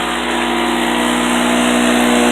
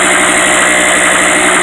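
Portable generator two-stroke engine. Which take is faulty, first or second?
second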